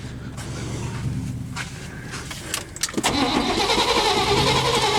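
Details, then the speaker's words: 1993 Chevrolet 3500 wrecker, 5.7 350 TBI, not run in years, after removing a stray bracket that was rubbing the harmonic balancer: engine now cranks freely and evenly at about four beats a second, no binding or squeal; normal cranking, though still no spark. "all right so I got it out maybe you could turn over a little better now had me worried"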